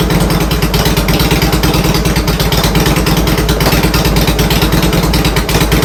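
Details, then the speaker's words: Harley-Davidson Twin Cam after fuel pump replacement and installing an Accel coil-on-plug ignition: loud lumpy V-twin idle with steady beat and light valvetrain tick, even strong firing; runs great after the install. "She's back, baby! Woo! I'm psyched about that. It worked great. Let's have a look. Just tick, tick, tick, tick, tick, tick, ticking."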